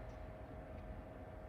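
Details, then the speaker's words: Power Mac G4 MDD after FireWire 800 and USB 2 card upgrades, phone held close to the closed case at power-on: steady whir with a constant mid-pitched hum as the fans ramp up, expected to quiet once booted; normal startup fan noise. "And I wanted to hold the phone close to the computer so that hopefully you will be able to hear this. So you can hear the fans ramping up. Once it boots"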